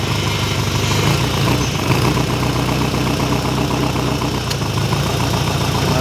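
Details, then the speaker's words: Ferrari 308 GTS fully rebuilt V8, first start after about four years: steady, slightly lumpy idle with deep even rumble, no knocks or ticks; good oil pressure, no leaks, though timing could be advanced a little. Normal idle. "no leaks underneath well that's not bad running and idly like that after four years sounds like we could do a bit more timing"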